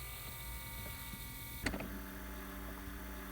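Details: 2005-09 Ford Mustang blend door actuator removed from dash but still plugged in, tested with accessories on: faint electric motor whir, sharp click partway, keeps driving; actuator hunting for position, cause of clicking behind dashboard.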